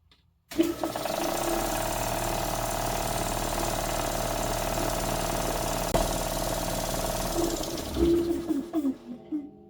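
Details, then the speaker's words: Air compressor after rebuild of blown-up rotating assembly; steady even running hum with light mechanical rattle but no previous slapping, still a little noisy but much better; normal running. "Well, it didn't self-implode. It definitely still a little noisy, but it is way better than it was before."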